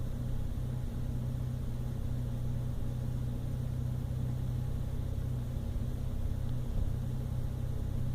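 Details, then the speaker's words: 1997 Toyota Land Cruiser FZJ80 (1FZE petrol six) after a rough idle fix, probable ECU reset after a 3-mile drive: steady even idle, a lot smoother and pretty stable, though some slight shaking remains. "it's a lot smoother I can still feel some shaking you know the end or some shaking us there it's not perfectly smooth but it's a whole lot better"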